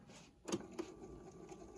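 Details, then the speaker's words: 1985 Realistic SCT-34 Tandy/Radio Shack cassette recorder before service, belt visibly wobbly but intact: button click then faint even motor whir as reels spin on fast-forward; transport runs normally. "yep and again that's spinning okay and Rewind yeah quite good actually it feels quite strong"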